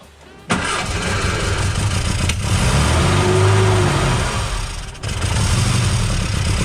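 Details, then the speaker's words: 1959 Austin Healey Sprite after engine rebuild; ignition 180 degrees out fixed by resetting points and swapping plug leads; engine catches after short crank and settles to steady even low beat, no misfire, sounds as it should. "That's what I call success. Yeah. And it even sounds like it's supposed to."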